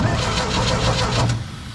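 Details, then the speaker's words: Old Sullair 185 gas compressor, condition unknown, engine switch missing, starter pushed on new battery; steady cranking about six chugs a second for ~1.5 s, engine turns freely and is not seized. "button well there's a good sign means my engine is not seized"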